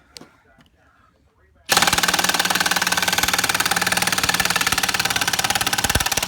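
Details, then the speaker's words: Stealth Force Gen5x impact driver driving a 3-inch lag screw with no pre-drilling: after a quiet start, fast continuous hammering rattle as it fights the screw, not its normal sound; overloaded, owner doubts it has enough power. "I'm definitely stressing the hell out of this motor here, because that's not the normal sound for this thing."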